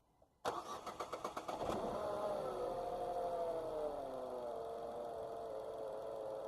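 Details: Dacia/Renault 0.9 Turbo petrol, 155,000 km, after replacing spark plugs with NGK Laser Iridium for hard cold-morning cranking: about eight quick cranks, clean catch, revs settle to even idle; starts and runs smoothly.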